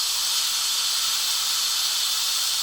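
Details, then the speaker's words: WMF pressure cooker, binaural recording: pulling back the valve to slowly release built-up pressure gives a strong, steady high-pitched hiss with no sputter; normal manual steam release. "if I pull this back I open this bottle there then I can slowly release the pressure because it was very slowly there's a lot of pressure on them"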